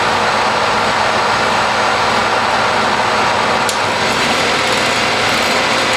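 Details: Triumph Spitfire overdrive four-speed gearbox on a test stand, shifted through all four gears: steady whir rising in pitch with speed, barely any noise even at higher rpm, no synchro grinding or crunch; shifting smoothly.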